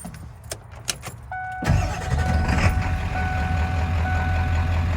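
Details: 1995 Ford F-350 dually, 7.3 Powerstroke diesel, five-speed manual, about 121k miles, serviced: chime, quick crank and catch, then a steady even low diesel idle with no knocks; normal healthy start.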